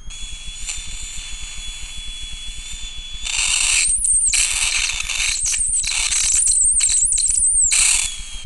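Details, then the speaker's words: Simple single-transistor flyback transformer driver, self-oscillating via a 10-turn feedback coil and 500-ohm base resistance, running from 12 V input; steady high whine with crackling, hissing spark bursts; normal flyback driver arcing. "it's self oscillating and let's see some Sparks at 12vt"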